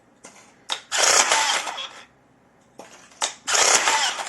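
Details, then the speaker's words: Electric rebar tying gun tested after repair with an ordinary spool from a general batch: two cycles, each a short whir then about a second of bright even buzzing as it twists; spool stops properly, wire doesn't unravel, normal. "Ну, катушка останавливается нормально. Проволока не разматывается."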